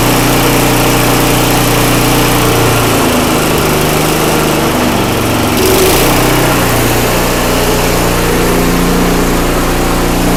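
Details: Craftsman 5/24 track snow thrower small single-cylinder engine after carburetor cleaning, running strong and steady, briefly sagging and recovering, then settling into a clean, even run with no misses.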